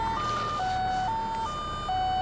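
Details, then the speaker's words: Stepped three-pitch electronic door-ajar chime over a steady idle in a 2002 VW Cabriolet automatic just after starting; the open door triggered it. "What is that noise? What is that? I feel like it's about to explode. Like, is it my door? It's my door."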